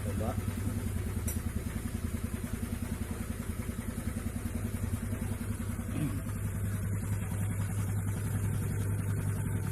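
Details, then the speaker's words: Honda Vario CBS scooter after CVT repair (clutch damper rotated, roller housing slider heated and shimmed): steady low drone rising gently in speed, no knock or clatter from the drive; smooth, more power. Normal CVT under throttle. "gas sudah halus ya. Tenaganya juga lumayan ya, lumayan nambah, cakep lah udah."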